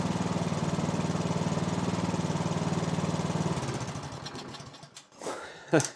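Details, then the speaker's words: Snowblower (MTD) single-cylinder engine, about 2–3 years old with roughly an hour of runtime, after the plugged carburettor pilot jet was cleared with a bigger guitar string: quick, even beat for a few seconds, then winds down and stops cleanly. "A tiny little change in that pilot jet made that run so much better."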